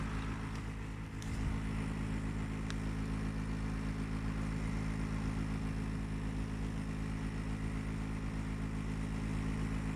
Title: GREE CLIMA loud noise problem